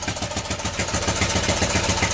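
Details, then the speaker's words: 41-year-old imported Honda XL125S single-cylinder, previously unrun, started first kick on choke and left ticking over to get oil round; even fast tickover with light valve clatter, no misses or knocks. "That's ticking over. Sweet. You holding it, just keeping it going. Well, it ain't been run, we're just going to leave it ticking over a little bit."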